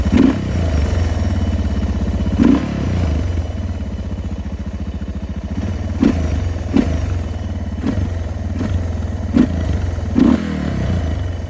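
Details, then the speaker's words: Suzuki DR650 with newly installed Lectron Billitron Pro carburetor, idle about 1680 rpm; single-cylinder thump revs up and falls back with only an occasional tiny pop on deceleration. Carb running well. "tiny bit of pop. Nothing outrageous. Nothing outrageous. Super happy with everything right now."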